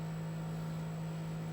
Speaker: Now if we change this switch, and now it's in sine wave mode, and you can hardly hear the vibrators now because they're driven by a pure sine wave. So even though the amplitude is the same as here, you can't hear the vibrators anymore.